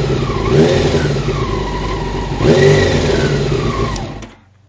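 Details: Honda CBR600 F1 four-cylinder revving: whirring, chattering noise rising and falling with revs; cam chain tensioner found to be the cause.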